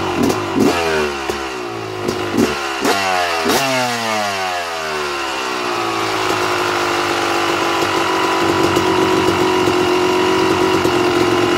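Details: 2009 Yamaha YZ250 two-stroke, pilot air screw set correctly: sharp throttle blips, then idle hangs slightly high and eases down a tiny bit to steady ring-ding; correct mixture.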